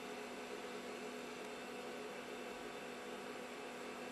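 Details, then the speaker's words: Macintosh TAM after an acid leak, with its power supply rebuilt minus some components and a ROM SIMM removed, on power-up: a steady soft hiss and faint even hum with no beeps. The power supply shows activity, but there is still no display. "Yeah, there's that sound again. Okay. Well, that's an improvement, folks. We're getting activity from the power supply."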